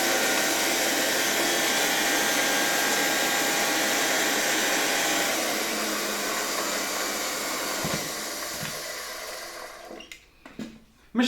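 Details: Soviet "Rakieta" 7M2 vacuum cleaner (1981), MD-010 motor, after cleaning and brush refit, run on reduced voltage through a regulator: smooth high-pitched whirr holding steady, then spinning down to a stop, no grinding or rattle; bearings healthy, normal run.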